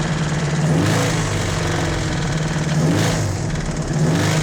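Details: 1986 Toyota MR2 AW11 salvage-yard parts car, idling just after its last vacuum leak was fixed: low, lumpy idle swelling and sagging about every second, no clean steady beat; owner says it doesn't sound right and suspects rod knock.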